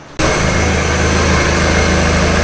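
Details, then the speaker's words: Idle on a 1999 NB Miata just after fitting a Jackson Racing M45 supercharger system: steady, even idle with a smooth low rumble, no knocks, misses or whine; fuel ratio to be checked via OBD. Normal idle. "there is now idling good we just run it through and check like that fuel ratio and stuff on the OBD housing test artistry"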